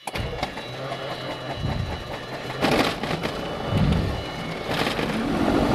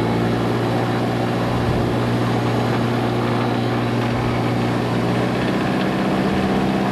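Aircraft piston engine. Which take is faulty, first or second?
first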